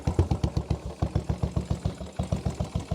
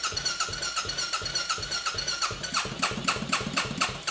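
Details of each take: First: Royal Enfield single-cylinder motorcycle, former non-runner with no spark, now reassembled after fault finding: starts on the button and idles with even exhaust thumps, about eight per second, no misses. Normal idle. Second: Royal Enfield motorcycle, former non-runner, first run after fuel system emptied and primed a few times: fast uneven popping with surging loudness, running rough, expected bit of fuel starvation.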